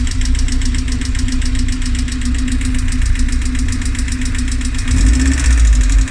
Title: Rover K ticking noise